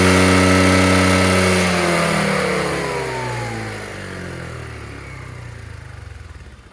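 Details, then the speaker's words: Chinese 150cc GY6 carbureted scooter with the air box removed: note sags and drops in pitch, then fades while bogging off idle before catching at higher rpm. Owner suspects an air-fuel mixture or float problem. "So when you get it to about a certain RPM, then it'll start to catch and run really well. It's just that from stop to that area is where it bogs down."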